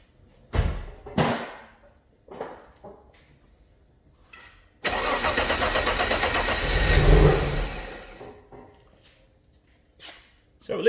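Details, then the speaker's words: Alfa Romeo GTV, donor engine, used fuel pump with new seal, first start after 18 years: several short cranking bursts, then engine catches and runs unevenly a few seconds before shutoff; no leaks. "at least it starts. Nothing leaking as of yet. No water on the floor, so let's go for a full start and let's hear it run properly."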